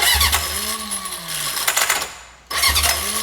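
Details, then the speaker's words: Junkyard Honda CB750F that sat for decades, cranking with choke on: starter whirs with a wavering tone and rattly cranking, stops and retries without catching; starter clutch slipping. "all right just got to get her to hold on a little more oo starer clutch is not happy"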